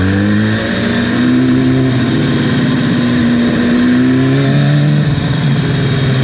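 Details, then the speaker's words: 300hp turbo Hayabusa-engined crosskart at full throttle: revs rise then sag unevenly, a stumble under load. Fuel pressure gauge dropped on full throttle; new wiring didn't help. Suspected fuel pump or electrical fault, not confirmed. "the meter was dropping every time when he like slammed the throttle all the way down the pressure meter was dropping all the way down here"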